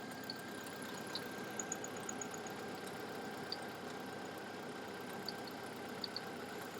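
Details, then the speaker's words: 2000 Jeep Wrangler 2.5L four-cylinder after cylinder head replacement. Quiet, steady idle with only faint light ticks and no knock or miss; engine settling in well. "well it's been running about 20 minutes I shut it off and tightened up the uh the belt because I didn't have the tensioner quite tight yet"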